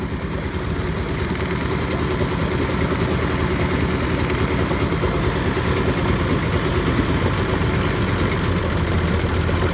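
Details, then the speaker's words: Yamaha 30hp three-cylinder two-stroke outboard that began running rough, plug lead pulled during a drop test: rough, lumpy idle holds speed, cylinder sparks but doesn't drop or rev back up; dead cylinder. "this one is sparking it's not revving back up it's not dropping"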